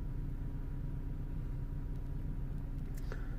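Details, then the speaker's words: Vauxhall/Opel Astra H 1.8 after repairing a lean-running P0170 fault: smooth, steady low idle with no stumbling or shaking, no check-engine light; fuel trim now about −10 instead of maxing at +25; normal idle. "he's running absolutely perfect guys no checks no judge ring is running really smooth really good really good"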